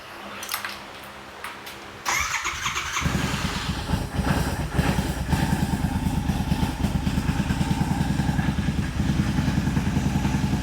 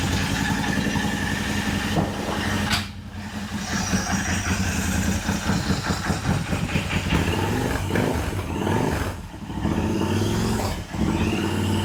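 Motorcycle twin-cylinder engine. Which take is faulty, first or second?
second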